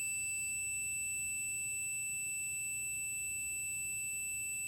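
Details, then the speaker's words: Continuity beep on a Davemade 16-pill amplifier combiner: steady, unbroken high-pitched meter beep across the wires shows a connection, so RF can pass and be split. "See how we're getting a connection now? That means that RF can now come through and be split off into these two."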